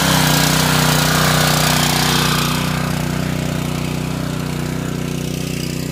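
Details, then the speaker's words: Harbor Freight Predator 212 single-cylinder engine on a 2-inch water pump, a year of farm use by a creek, first start of the day. Steady, even running with no misses; the note changes as the pump primes and the fire hose fills. Normal. "Alright, it should be priming up, and we'll hear the sound of the engine change in just a minute. Just heard the engine change, and the water hose is filling up, or the fire hose rather."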